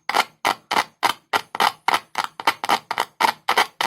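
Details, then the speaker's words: Speaker with a large magnet tested with a single cell, one wire end on the cell and the other tapped: sharp, even, loud pops about three a second from the cone moving back and forth; speaker coil is healthy. "इससे screen आगे-पीछे भी हिलती है। Screen हिलती है, इसी वजह से ध्वनि उत्पन्न होती है।"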